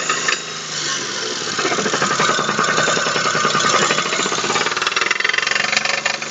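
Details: Daewoo Matiz (Chevrolet Spark) 0.8 engine: the front crankshaft seal was pushed out in frost and the oil leaked away, spinning the bearing shells. A loud, hard metallic knock rises in speed and harshness with revs, from a crankshaft main bearing knock.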